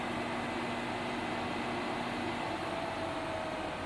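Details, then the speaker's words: Treadmill motor with torque control, for probably 1940s Delta drill press variable-speed conversion, running at a fairly high speed: smooth, even mid-pitched electric hum, no roughness or surging; normal running. "so there's a pretty good rate of speed right there for it"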